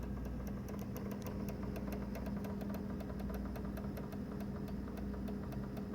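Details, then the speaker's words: Xbox One disc drive making rapid grinding, clicking and clanking about four a second over a low hum; it can't read discs though installed games still play. "okay so that grinding noise click click connect' clang clang clang that ain't normal"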